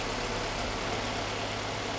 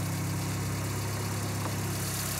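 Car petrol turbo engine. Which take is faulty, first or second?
second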